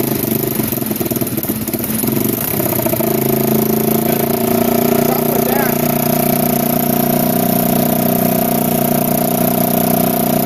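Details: 1987 Kawasaki Mojave 250 ATV, neglected after long sitting, second start after tightening the manifold: single cylinder catches and settles into a fast, raised idle with a raspy, chuffing exhaust note; it idles far too high because the choke is missing and its port is plugged with a small orange plug.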